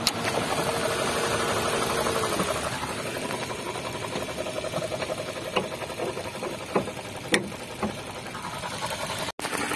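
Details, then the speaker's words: Suzuki Ignis with manual transmission, engine running under the open bonnet: a rough, gritty whirring growl holds steady at idle. It points to a bearing in the alternator/water pump belt drive, and the V-belt tensioner bearing is replaced. "Oke jadi begitulah ya untuk suara bunyinya nah ini untuk Suzuki ignis nah ini kita juga bisa cek untuk bagian yang penyebab atau terindikasi bunyi ngorok atau ngetrek nih ya Nah ini indikasinya di bagian bearing"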